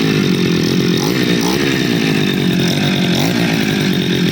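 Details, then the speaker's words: Two-stroke grass cutter after replacing the faulty part, glued against leaks; ignition and carburetor checked OK. Started with choke, then opened slightly: a steady, buzzy note at even speed without surging or cutting out. Running stable; fault cleared. "Stabil ya. Coba kita gas."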